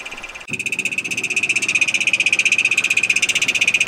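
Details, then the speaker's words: 1999 Toyota 4Runner 3.4L V6 at idle: rapid metallic ticking, rattle to knock, sounding like rod knock, from the rear of the engine; cracked flexplate. "the noise seems to be coming from the rear of the engine which says to me that it's not any of the accessories on the front such as the alternator or the air conditioning compressor power steering pump or"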